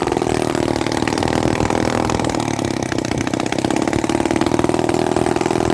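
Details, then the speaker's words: 1950s Lombard 35 gear-drive chainsaw with 60 PSI compression and stator plate rotated out (late timing), on half choke: weak, uneven putter barely staying running, too weak to drive the chain; low compression and retarded ignition timing. "Barely enough power to stay running on its own. I mean, you got to choke it halfway. And this engine's old and tired. It's only got 60 PSI compression, and it runs like that."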